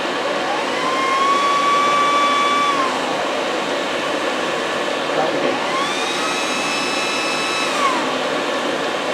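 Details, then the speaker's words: Owner's diesel air heater, which fails in the cold, on the bench: blower whine climbs smoothly to a steady high pitch, drops, then spins up again; fan reaches full speed normally. "Well, as you can hear, getting up to speed."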